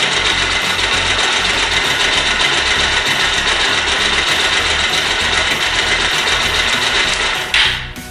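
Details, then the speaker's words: Bajaj Pulsar motorcycle at fast idle: quick light ticking about three to four per second, "kit kit" sound from loose valve clearance; fix is adjusting tappet screw after removing the cover with a 10 mm key. "जैसा कि सुना आपने इसमें kit kit kit kit kit की आवाज आ रही है"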